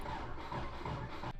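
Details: 1990s JDM car that has sat for years, about 160,000 on the odometer, with the coolant found bone dry; the starter churns the engine steadily for over a second without it catching, then cuts out; cranks but won't start.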